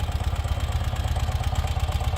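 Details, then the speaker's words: 2018 Ural Retro fuel-injected sidecar motorcycle, ultra-low mileage, in neutral: starts in very few cranks, low even thumping idle with regular beat, no dips or surges, settles quickly; healthy idle. "you can see very few cranks the start a nice smooth idle you don't hear it dipping or revving out to find that nice happy medium"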